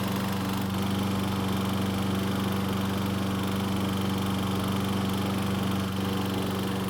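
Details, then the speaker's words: Troy-Bilt self-propelled mower running in gear: a steady single-cylinder drone with fast rattly chatter from the recoil starter, pawls catching the cup. It went away once the rope was released from the handlebar guide; flex of the lower portion is suspected. "so as you can see and here there's a very annoying sound coming from The Recoil that seemed to go away after releasing the rope from the guide on The Handlebar"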